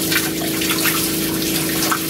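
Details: New water pump and Cointra CPA11 LPG boiler on a 1980s 36ft Springer narrowboat, with the shower on hot only and warming up. A steady mid-pitched hum under a strong, even rush of water. Normal pump and heater operation.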